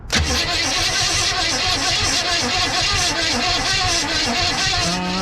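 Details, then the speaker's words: 1963 Chevy Impala wagon V8 after sitting about 20 years, cranked once the starter was wired to the correct terminal: quick, even cranking rhythm held steady for five seconds; normal cranking, though no spark yet. "beautiful sounds like a pretty decent crank"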